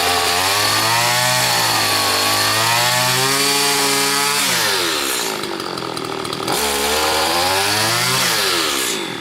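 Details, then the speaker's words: Stihl FS80 trimmer after carburetor rebuild, warmed up: high buzzing two-stroke surges and sags every couple of seconds instead of holding steady revs; owner suspects a stuck ring or low compression, with bubbling seen at the exhaust port; cause unclear. "it's got me a little concerned that maybe it's got some problem with some compression or something."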